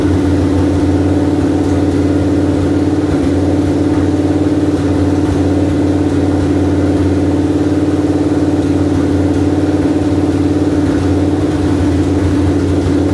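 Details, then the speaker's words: 1973 Dodge Dart engine's first start after sitting unknown years, new HEI module and rewiring, running for break-in; strong, even idle about three pulses a second, no skips, knocks or hunting; engine runs healthy. "I mean obviously you heard the engine run it ran really great"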